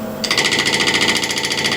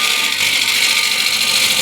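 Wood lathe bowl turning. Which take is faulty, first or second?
first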